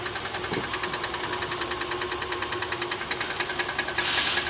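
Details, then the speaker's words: 2013 Nissan Sentra, second CVT at about 112,000 miles, starting to fail: steady rapid metallic ticking about three a second in drive at idle, traced with a stethoscope to the transmission near the drain and filter. "You can hear the ticking coming from there with a stethoscope."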